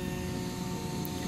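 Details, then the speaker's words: Fan-cooled LED headlight bulb for a motorcycle, whose high beam had failed, powered on: a constant airy whir with a thin high whine at an even level. The fan is somewhat loud but reportedly all such bulbs are; normal cooling fan noise. "eee bu fan biraz fazla ses yapıyor ama hepsi Öyleymiş Eee zaten motosikletle giderken onu duymuyorsunuz"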